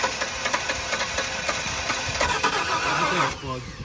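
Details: 1994 Ford F-150 parked seized for 7 years, fresh gas, primed fuel line: uneven cranking churn with brief catches that never settle into running.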